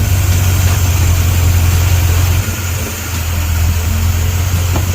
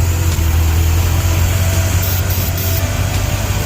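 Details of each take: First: 1956 Ford Thunderbird that had been surging at idle; starting fluid sprayed around a seal to test for a leak. Deep, steady idle with a low even thrum and a brief dip, then it settles smoothly. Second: 1956 Ford Thunderbird, surging since purchase: deep, uneven loping idle rising and falling; starting fluid sprayed at the carburetor seal levels it out, showing a vacuum leak at the carb seal.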